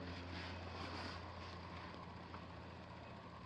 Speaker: That's fine. Dishwasher's running.